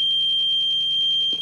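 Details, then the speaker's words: Older APC ES 750VA/450W battery backup with a low battery: steady piercing high-pitched beeping that continues while plugged in, meaning the battery needs replacing. "you will continuously hear that beeping noise when this is plugged in so you will know the battery needs to be replaced"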